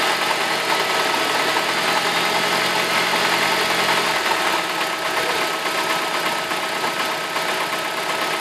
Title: E46 318 engine knocking